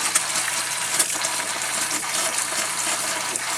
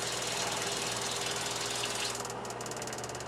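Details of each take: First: Camper water system after replacing the old 1997 Surflo pump with a Surflo 4008: water hisses from the tap in uneven spurts and gushes while pressure builds. The faucet is sputtering, and the owner suspects the lines need cleaning out. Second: New Surflo 4008 Revolution water pump in a camper, replacing an old 1997 low-pressure pump: low, steady, even hum under running water, no knock or surging; the new pump runs surprisingly quietly with good pressure.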